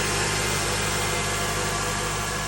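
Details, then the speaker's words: Honda Element after swap to a K24A engine (old engine ruined by Blue Devil head gasket sealer), new spark plugs and rear main seal: smooth, even idle, steady low hum, no knocks or ticks; healthy. "It is like butter. She is. Woohoo! Oh yeah. Super clean."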